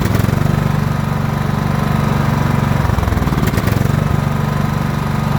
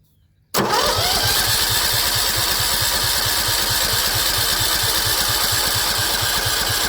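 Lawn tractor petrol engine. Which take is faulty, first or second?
second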